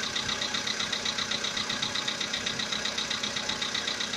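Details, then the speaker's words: Volkswagen Polo Sedan, CFNA engine, about 80,000 km: even ticking knock over a steady idle at about ninety beats a minute, audible inside the cabin; it began roughly 3,000 km ago, source unknown. "Застучал мотор. Ну, даже в салоне слышно."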